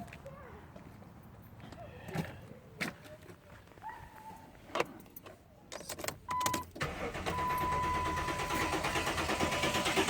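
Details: 2008 Dodge Durango cranks but won't start: door chime and clicks, then steady whirring crank for several seconds with no catch into idle.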